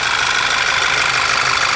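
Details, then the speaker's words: VW Passat B7 1.8 TSI petrol, after repair of rough idle, misfiring, jerking and whistle when warm; steady even idle with constant hiss, no stumble or knocking, no fault codes: normal idle, engine running perfectly. "можно отдавать машину владельцу мотор работает идеально"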